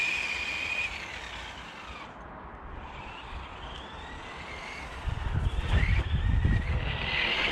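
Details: HG-101 1/10 short course truck, 550 motor on 2S, after fixing out-of-box issues (suspension adjusted, body trimmed from rubbing rear wheels), test run about 19 km/h: whine rising and falling with throttle, clean gear hum, no grinding; running smoothly.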